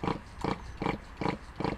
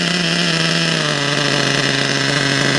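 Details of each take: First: RC nitro engine unused for about a month and hard to start: rhythmic chuffing about every 0.4 s as it spins over but never catches; owner suspects it is flooded with excess fuel. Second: RC nitro engine, unused about a month, after new glow plug, new fuel and adjusted high, low and idle needles: high buzzy whine holding steady, easing slightly lower, no misses or sputter; running cleanly.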